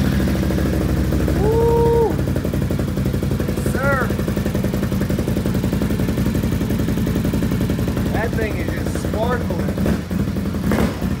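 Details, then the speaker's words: Once-flooded 2020 Can-Am XMR 850 after fluids flushed; earlier it misfired. Now a low, steady, even idle burble with no misses or knocks; normal idle. "Hey it sounds a whole lot better it's not misfiring you gotta be careful with them nabis"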